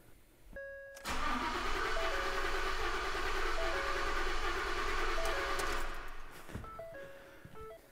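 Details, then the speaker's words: V8 cranking about five seconds without starting, its rhythm lopsided as one cylinder gives no compression push; a spark plug was removed to simulate a dead cylinder, indicating a mechanical fault rather than plugs or coils. "you get a car like that no bueno you don't have to worry about swapping over plugs and coils something is mechanically wrong"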